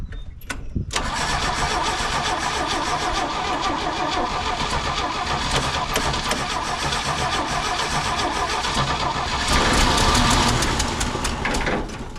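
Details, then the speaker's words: 1968 GMC C1500 pickup abandoned in a field for 27 years, first start attempt, with manual choke and running on a battery pack. Long steady cranking at about four turns a second with no catch. Cranks but won't start; possibly fuel starvation. "oh we got to get the fuel to her we got to get her to drink it might be too much but"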